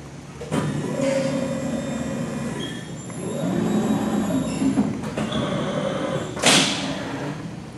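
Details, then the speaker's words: 1995 RAS 67.30 CNC folding machine, 12 ga x 126 in, CNC 3000 control: smooth motor whir swelling and fading as the back gauge travels out to 24 inches, no grinding or knocking; normal back gauge travel. "was the back gauge moving. That's a 130-degree bend there. You can go as far as 180 degrees. Plus you can do a hem with it too. You hear the back gauge go all the way out to 24 inches."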